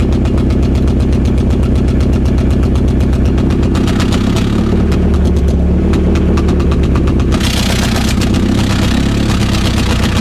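Uneven, stumbling idle with an irregular beat around four pulses a second that roughens further when revved; a misfire, cause unknown.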